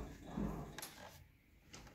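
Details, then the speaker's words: Horizon Evolve 5 elliptical after servicing: arm assembly hinge removed, greased and retightened; pedalled hard with only soft low thumps and light clicks, squeak gone, running smooth. "see no more squeak no more sound pretty smooth"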